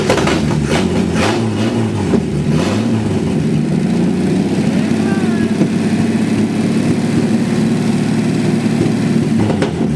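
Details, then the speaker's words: 1949 Chevy with 250 cubic inch inline six: several sharp revs, then a steady, even idle with no knocks or misses; runs smoothly. "2 days in a row. 2 days in a row. Runs sweet. It does. 250 cubic inch inline 6."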